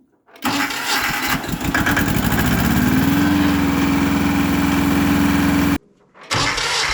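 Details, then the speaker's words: Roughly 40-year-old Hinomoto diesel tractor, first start in years after a new starter, ignition and wiring: brief cranking, then it catches into an even, steady chug. Normal start and run. "Wow. Okay, that runs real good."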